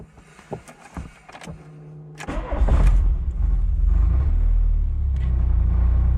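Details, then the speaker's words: Volkswagen Cabriolet, driving away: a few loose clanks, then a rough rattling buzz underneath as the exhaust knocks against the sway bar. "hear that rattle that's the first issue that's the exhaust hitting the sway bar which is pretty interesting"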